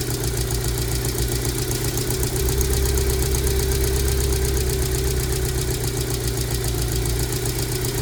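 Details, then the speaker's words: 2002 Rover 75/MG ZT bought with a suspected damaged engine that stalled at idle with an unpleasant noise; after long storage it idles rough with an irregular lumpy pulse, check engine light on, misfiring and slightly smoky, cause not yet found. "it has a check engine code the check engine light is on a it's clearly it isn't running very nicely I'd say"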